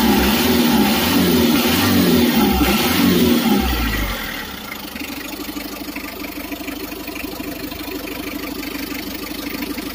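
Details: Mitsubishi L300 diesel test-started after an accelerator adjustment to improve pulling power. It revs up strongly, then drops to a steady, even clatter at idle with no hunting, running normally.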